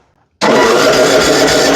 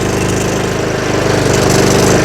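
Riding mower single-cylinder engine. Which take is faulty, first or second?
first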